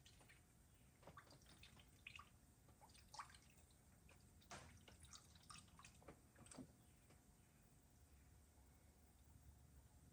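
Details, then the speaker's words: Engine cooling system being filled with antifreeze through a funnel: quiet irregular gurgles and drips as air gets trapped; airlocking, which can cause overheating. "All right, you hear that gurgling? That's where she was starting to airlock."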